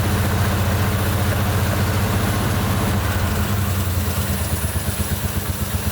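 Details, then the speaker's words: 1971 Jeepster Commando, Dauntless V6, after distributor cleaning with carb cleaner in the fuel, heard through the carburetor: a loping idle about four beats a second with a regular stumble. One cylinder misfires, running on five; one plug had been black. "yep it's still running on five yeah I can hear it through the carburetor that's five yep still running on five we fired it up and it's still garbage it's still running on five"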